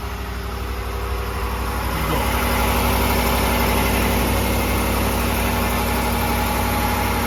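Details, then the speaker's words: 5.7 Hemi V8 truck cold start at about 31°F after three days sitting, on Red Line 5W30 with about 600 miles: fires and settles to a smooth, even idle, no piston slap or knocking. "smooth as butter no pistol slip no nothing"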